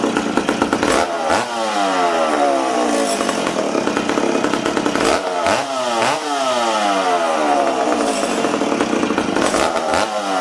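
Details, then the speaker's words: McCulloch Super Pro 70 chainsaw, reassembled after a fuel tank repair and run on 45:1 mix. It burbles and stumbles, revving unevenly, before clearing and climbing. The low-speed needle is 1¼–1½ turns out, tuned for -20, so it runs too rich indoors. "now friends you see how this thing's fighting me uh this saw was tuned the saw was tuned for -20 okay so this this load yet was at one and a quarter turns one and a half turns out okay uh this thing's too rich for being inside right now"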